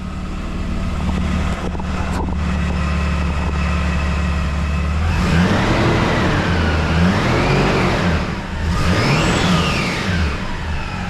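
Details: Toyota 80 series in park after redone exhaust repair; steady idle then two smooth blips with a clean, tight exhaust note and no puffing or ticking; no exhaust leaks found.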